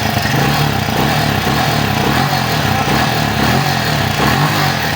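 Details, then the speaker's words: Keeway RKV 200 motorcycle, 2013, single cylinder, after fixing hard starting and float that leaked fuel and caused smoke: starts at once, crisp even revs with no stumble or smoke; normal revving. "Ven que ya prende de una vez y no está humeando. Vamos a acelerarla. Ven que no hay humo."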